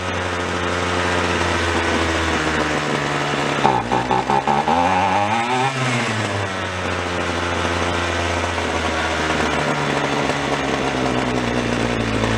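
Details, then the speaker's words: Free roadside-find two-stroke weed wacker: raspy note surging and revving unevenly instead of holding steady; suspected lean running from air sucked around the side of the carb (bubbling visible), possibly loose screw or crack. "rival i think it's a little on the lean side i think we're sucking air"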